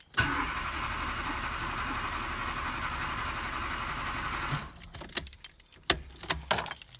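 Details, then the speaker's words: Nissan Micra K11 cranking over four seconds without catching, a long-crank hard start caused by low coolant from a pinprick hose leak misleading the temperature sensor. "She won't go. Well, there could be a few problems, and I'm not going to walk you through all of them, but I'm going to show you a problem."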